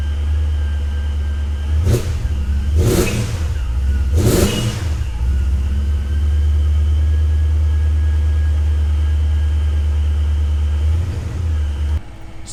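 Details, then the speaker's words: Supercharged 2003 BMW E39 M5 after a spark plug change for a sputter under load: strong deep idle with three quick blips, each settling smoothly with no stumble. "you have it guys spark plugs are changed car seems to be running good"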